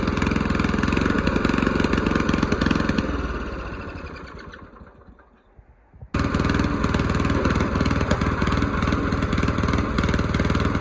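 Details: Old mower's original small engine after its carburettor was cleaned, jets cleared and a new gasket made. It runs evenly, winds down almost to a stop, then catches again and settles into a steady beat. Normal running.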